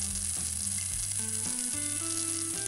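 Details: Nintendo 3DS that won't charge, heard from its speaker: a steady high hiss runs constantly under stepping tones; the board shows a broken coil and signs of earlier tampering, cause not yet confirmed.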